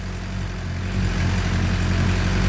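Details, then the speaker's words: 2007 Suzuki GSX-R 600 after water pump seal, freeze plug and electrical repairs for coolant in oil, started barely on a weak battery: low, even idle that holds steady and firms up slightly, no misses or rattles. Normal idle. "let's see if it'll go there we go see that battery ain't any good but it worked barely"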